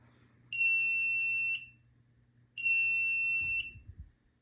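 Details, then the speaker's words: FireLite MS-2 fire alarm panel being powered up after unboxing; reset is pressed and the trouble buzzer sounds a steady high-pitched tone for about a second, pausing two seconds and repeating, signalling a notification appliance circuit (NAC) trouble fault. "so we're just going to go ahead and press reset so you can hear the buzzer and it should click and do the neck fall"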